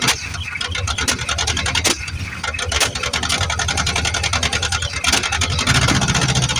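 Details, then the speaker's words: 1973 Plymouth Fury III with 360 V8 just installed after car sat engine-less 7 years, fresh start after priming carb: coughs and sputters with popping bursts, ragged idle; owner suspects carb issues and plans to check timing. "she took off, but boy, she's sure spitting and sputtering. Really wondering if I've got carburetor issues."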